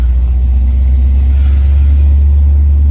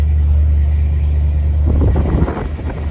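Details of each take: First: Vehicle driving after its driveline was rebuilt following a breakdown with a rattle and suspected universal joint problem; deep, steady rumble under way, former shakes and rattles gone, running much smoother. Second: Truck limping to a garage: steady low drone then loose irregular rattling and clatter from the rear under road noise; owner suspects a failing universal joint, with the exhaust also found rubbing the frame rail.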